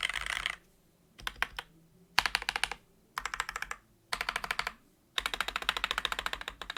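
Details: Wooting keyboard with Flaretech switches, lubed and filmed, sound-tested on a new desk: quick bursts of soft, even clacks with no spring ping or stabilizer rattle; smooth, well-lubed switches.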